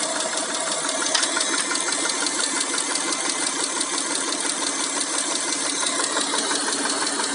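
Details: Mitsubishi Montero Sport with 6G72 V6: fast, light hydraulic lifter tapping, roughly three per second, riding over a steady, treble-rich engine hum.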